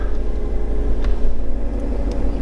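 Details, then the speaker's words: 2013 Mazda 3 SkyActiv 2.0 L that started then died, after a genuine replacement mass airflow sensor was installed: a deep, steady idle with an even rumble and no misses, surges or stalling; the engine now runs as it should. "i put it in the car so let's try to see if the car starts now all right the car runs"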